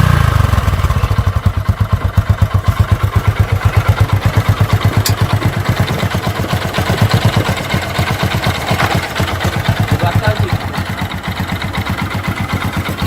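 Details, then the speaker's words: Hero Glamour 125 motorcycle after a year of use. Quiet, even single-cylinder idle with a steady soft putter and no knocks or rattles; the engine sounds healthy. "Gayet sessiz yani ayıyor çalışma ses başlangıç olarak kullanılabilir"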